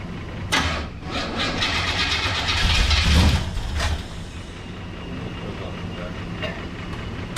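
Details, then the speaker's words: Project 1984 Chevrolet Monte Carlo V8 after Quick Fuel carb adjustment, cold-blooded: it catches roughly with uneven, lumpy firing and stumbling revs, starting without number one; misfire, one cylinder not firing. "It started without number one."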